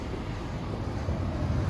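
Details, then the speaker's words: Central AC system with condenser not coming on: 24 volts at the outdoor unit, 12 volts at another point, and a short suspected in the low-voltage wiring; furnace blower gives a steady, even low rush of air with no knocks or squeal, running normally. "Let's go look at the furnace. And the furnace, as you can hear, is blowing."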